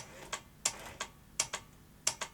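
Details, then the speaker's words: Philips V2000 video recorder tape mechanism: faint paired clicks about every 0.7 seconds, never settling, then the display flashes as power glitches; owner suspects the overcurrent trip is shutting down the power supply; abnormal mechanism clicking. "what's it doing now was that a mechanical fault what was going on then do you think oh it's not happy is it"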